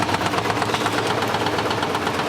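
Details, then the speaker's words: 1980s Simpson Mini-Matic washer running on low water level: quick, regular light knocks over the motor hum, caused by the drum touching the out-of-balance lever behind it. "That knocking sound you hear is this drum. It's hitting on a little lever behind here, the out of balance lever. It's just touching it that's going, so that's what the knocking sound is that you hear is coming from."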